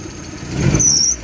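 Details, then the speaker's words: Lada Priora petrol engine blipped from idle: shrill belt squeal from a slipping alternator belt, then stops at idle; overcharging at 16.7-18 V and the alternator seems to be running hot; owner suspects the voltage regulator brush pack and replaced it. "Слышите? Свистит, то есть идет перезаряд."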